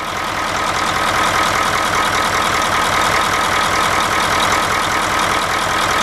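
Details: Bus 9-liter after valve adjustment, red valve covers: steady idle with an even, regular firing beat and no tick or thump; running smooth.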